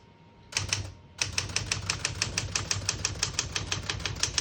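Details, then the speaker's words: 1971 Smith-Corona Super-Sterling portable typewriter, single line spacing: crisp, even keystroke clacks about four to five per second, none missed or dragging; all keys type cleanly, none skip or stick. "you can see, all the keys type nice and none of them skip or stick."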